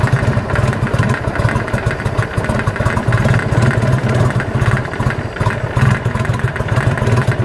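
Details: 1985 Bayliner Trophy inboard, out of the water at least 3 years; steady even low firing thump at fast idle, no misses or knocks; running cleanly now.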